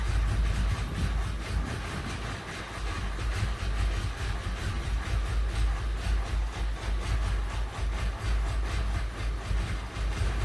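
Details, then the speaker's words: Datsun 280ZX turns over slowly with a deep churning rumble, about two beats a second, but never fires after fitting a part the owner hoped would fix it; crank no start, cause unconfirmed. "and once again another failed attempt I'm really beginning to despise this car"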